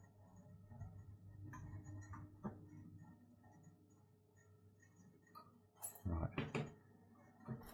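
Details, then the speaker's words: System boiler with vented cylinder, underfloor heating and radiators showing L2 lockout, case on: low hum, faint irregular ticking and sharp clicks but no burner roar, struggling to fire and no spark heard; ignition box power suspected, unconfirmed. "of all, it sounds like it's struggling to fire. Let's give it another, give it another go. Nope. And I know the case is on, but I can't hear the spark."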